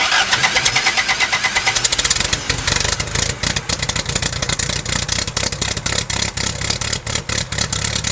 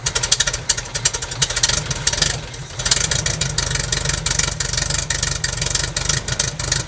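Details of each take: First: 1969 Lotus Europa S2 barn find, stored 15 years, restarted on starter fluid and a little gas: catches, quick even beat with strong pulses, no misses; earlier water likely just in the header. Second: 1969 Lotus Europa S2 barn find, off the road 15 years, running on gas poured into the carburetor: uneven, sputtering run with choppy pulses and a dip; lots of water coming out of the exhaust, exhaust leak suspected.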